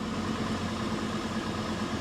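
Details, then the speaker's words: Salvage-auction vehicle with about 350,000 miles, started with a booster pack: smooth, even idle with steady low hum and no knocks, misses or rattles; runs great, though power steering doesn't work; normal idle. "that's okay it runs great sounds great that sounds great it's fine"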